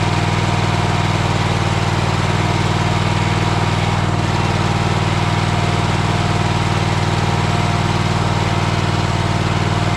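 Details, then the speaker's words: Troy-Bilt Horse tiller single-cylinder engine after a new fuel pump was fitted: a steady, even putter with no misses or surging; its smoke comes from being tipped on its side and clears. Normal idle. "place the reason that it's smoking is because I've turned it on its side"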